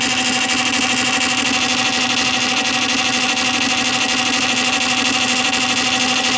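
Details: Columbia Graphophone AH after a motor service in which both springs were found dry, with powdered grease, running with no record: steady high whirring gear drone at constant speed with fine even flutter and no knocks or catches. Smooth running, slightly noisy.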